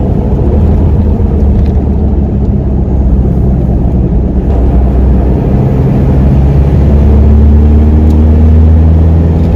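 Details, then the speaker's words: Toyota 1KZ turbo diesel with a bigger turbo, on a road test after the viscous fan hub was refilled with silicone oil: deep steady engine rumble with strong fan roar and loud induction rush under load; fan and turbo noise normal, healthy. "now you can distinctly hear that fan noise it's got a pretty loud abduction on this thing since a bigger turbo has been put on"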